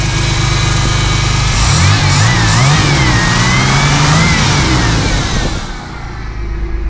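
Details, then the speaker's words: 1979 Pontiac Firebird V6, revived after sitting for years, warming up and smoking a little: revs rise and fall with a crisp, steady exhaust beat, no hesitation or rattles; healthy revving. "That runs way too good."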